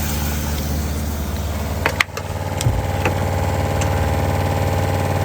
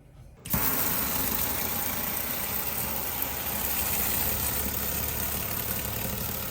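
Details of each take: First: RV water pump under bottom bunk beside the water heater: steady low hum with uneven throb about four pulses a second and some knocks, vibrating the whole RV; loud pulsing old pump. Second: Newly installed ultra-quiet RV water pump replacing the failed loud one: starts and runs with an even, steady hum, no rattle or surging for ten seconds, no leaks; much quieter than before, normal operation.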